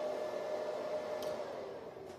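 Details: Antminer L3+ fitted with an 1800 W power supply, the supply running alone with the miner not running: soft, even fan whir with a faint steady midrange tone and no rattle; quiet, healthy supply fan.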